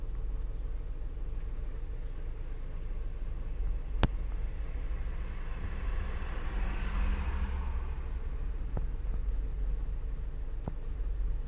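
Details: VW 2.0 TDI diesel at idle, with a low, lumpy, uneven rumble. VCDS values point to a faulty fuel pressure regulator causing the rough running.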